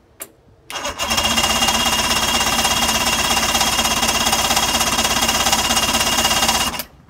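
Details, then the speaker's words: 2005 Mercury 115 two-stroke outboard on a Mako, cold, with oil put in the cylinders, bulb pumped and a little throttle: even starter cranking for six seconds, no cylinder catches. Cranks but won't start; owner guesses the old fuel and plans to pull the carburetors. "Okay, so it doesn't seem to like the fuel that's in there, I'm guessing."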